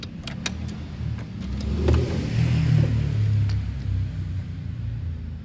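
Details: Keeway RY8 scooter with weak spark, new ignition switch, used but good spark plug: low, uneven churning cranking for several seconds without firing; turns over but won't start, weak spark suspected, cause unconfirmed.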